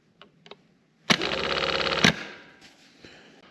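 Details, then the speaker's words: 1965 Corvair starter removed and bench-tested: it whirs about a second with a dull, labouring "boo boo boo" instead of a crisp zing; the owner thinks it seems weak and plans to buy a new one. "I feel like it should go zing or something like that, but not boo, boo, boo, boo, boo, boo, boo, boo."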